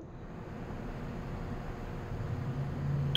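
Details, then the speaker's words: Fire detection alarm system (FDAS) panel, Zone 1 smoke detector tested with the soft-touch push button; steady low room hum, then one sharp tick with a short high beep at the end. The smoke detector works. Normal smoke detector zone test. "Ayun, may nag-tick. Okay? Ayun. Gumagana ang smoke detector."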